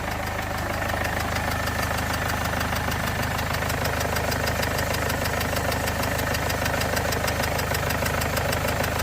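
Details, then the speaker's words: 2015 Mercedes CLA 220d diesel idling, bonnet open, engine light on, misfire and vibration complaints: a quick, fairly steady puffing tick about three per second from the back of the engine, suspected to be a leaking injector. Injector seal compression leak. "it sounds like a it sounds like a puffing noise and I start to see things that I don't really like oh man but the there is definitely a sort of a puffing noise coming from the engine somewhere at the back"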